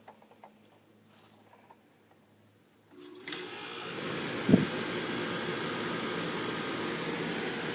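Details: Trane heat pump, 2.5 ton, air handler installed 2002, manufactured December 2001, thermostat set to cool: near silence, then a click about three seconds in as it kicks on and ramps into a steady, even fan and compressor hum; normal startup.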